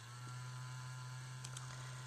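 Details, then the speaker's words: Laptop fan giving a steady low buzz at one pitch in a quiet room; the fan needs fixing. "sorry, that's my laptop. If you can hear that buzzing. I need to fix the fan on it, or have my husband fix the fan on it."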